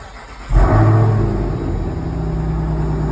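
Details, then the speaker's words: 2023 Dodge Durango SRT Hellcat V8, started right after an oil change with 8 quarts to circulate oil into the pan; crank, sharp flare, then smooth steady high idle, running good, normal cold start. "All right, we got her started. We got this puppy running good."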